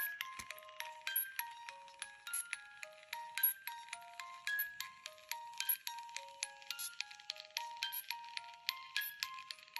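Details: After upgrading a DIY music box to copper metal gears and oiling them, a test strip plays: clear plucked tune with faint gear ticking underneath, the former handle squeak gone; mechanism running smoothly.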